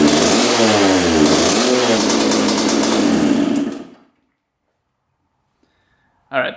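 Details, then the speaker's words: 1986/87 Honda CR125 two-stroke, warmed up, after adjusting the air screw to about four turns out; revs cleanly and drops crisply off the throttle but still breaks up slightly. Wet plug: rich pilot circuit, pilot jet (62) too large. "you can see the plug is pretty wet maybe it's just getting too much fuel huh"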